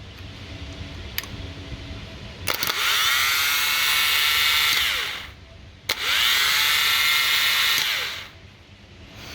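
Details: Starter from a 2015 Jaguar F-Type with 72k miles and a hydrolocked engine, bench tested with the engine removed: two bursts of high smooth whir rising to steady speed and spinning down freely; starter works fine.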